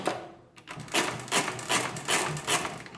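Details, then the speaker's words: Rebuilt Marchant KE mechanical calculator multiplying 625 by 625: rapid, even clattering cycles of gear and carriage clicks, about two or three per second without hesitation, working normally. "so let's try multiplication so let's do 625 by 625"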